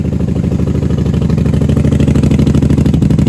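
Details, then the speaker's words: 1994 Honda Magna 750 VF750C V4 warming up after fuel line repair, airbox removed, factory pipes with baffles out. A deep, even pulsing idle with no knocks, ticks or stumbles. "This sounds good. Factory pipes with no baffles. I don't think there's baffles."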